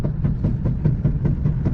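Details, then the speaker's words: AWD twin-engine Mazda MX-3 running E85, driving: quick even thumps about five a second over a low driveline rumble, hard clunk on every right turn, left turns fine; blown differential. "listen to the clunking hear that every right turn it does that real hard clung left turns it's mint right turns not so much"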